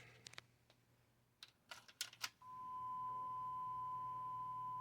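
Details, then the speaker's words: Sony TC-WR820A dual cassette deck, back unresponsive two years after service, now repaired, playing a 1 kHz test tone tape: after handling clicks, a clean steady tone with no wavering; the deck plays properly. "So let's put a test tone tape on it and listen to it. Okie dokie. Here's our 1 kilohertz."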